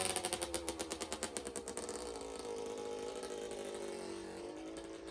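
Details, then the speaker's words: Suzuki RM60 two-stroke dirt bike after carburetor cleaning and fuel supply fix, started off choke: quick even pops, then a steady buzzing rev that holds without stumbling or dying; running cleanly. "so yeah now i can start it and have it run and dry without choke so let's give her a shot"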